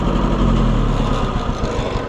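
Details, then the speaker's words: Oliver 550 tractor on a service call, after refitting parts: low lumpy idle with uneven beat and dropped pulses, loping when cranked; possibly one bad spark plug not firing, not confirmed, plugs to be pulled. "So it's possible that one of these plugs is bad, but I don't like that loping when you crank it, you know?"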